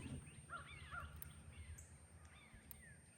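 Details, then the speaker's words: Ranch electric fence energizer checked while fixing a fence problem: a faint sharp snap or tick repeats about every second and a half over birdsong. Each tick is the electric pulse going out, so it is pulsing normally. "hear that snap I think you can hear it it's like a little tick so that tick is the electric pulse going out into this"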